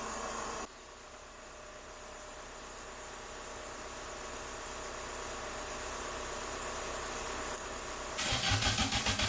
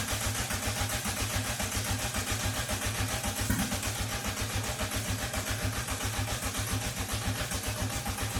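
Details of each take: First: MK2 VW Golf GTI rebuilt engine, first start after 10 years, cranked with van running as battery support: eight seconds of steady cranking, then a short burst of uneven firing that won't idle; owner suspects distributor/cap timing; oil pressure light flashing. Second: VW MK2 Golf GTI engine, first start after about 10 years and a rebuild with timing belt back on: even pulsing about two a second with a hissy top end; catches and idles steadily, normal idle.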